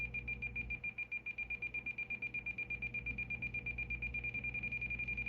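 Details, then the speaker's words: President George FCC CB radio in SWR mode: high electronic beep pulsing faster, about five a second, as antenna tuning approaches a good SWR; a solid tone means 1.0 (1:1). "to your preferred SWRs, you can hear that starting to get faster. And what we're listening for is a solid tone."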